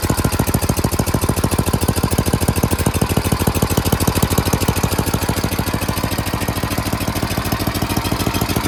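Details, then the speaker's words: Craftsman 928 dual-stage snowblower, 9 hp Tecumseh engine, after carburetor cleaning (bowl, main and pilot jets cleared) and a quarter-turn idle/governor screw adjustment for surging: crisp regular firing about three beats per second, even speed without hunting; normal idle. "Okay, we did a little idle adjustment as well as the governor screw adjustment, which is right there. Quarter turn on that, so now the RPMs are faster. That's idle."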